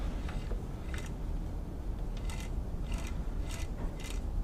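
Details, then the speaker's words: 1960s White 600 zigzag sewing machine, needing oiling after about 60 years: steady low grinding hum with occasional sharp ticks persists with clutch loose and mechanism stopped, so the motor is suspected, hopefully just brush noise. "you'll notice when when I had the clutch loose and the mechanism isn't running the noise is still there so it's something in the motor is probably making the that grindy noise uh hopefully it's just some brush noise"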